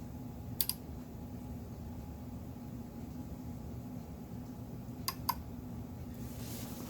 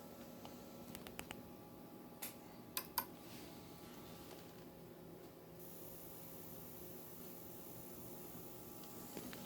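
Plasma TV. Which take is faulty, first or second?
first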